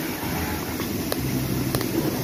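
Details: Suzuki Ertiga with a cabin rumble above 40 km/h that grows louder with speed: with the wheel raised and the phone held against it, the wheel is spun by hand and gives a low, rough rumble with gritty ripples and vibration; a worn front wheel bearing.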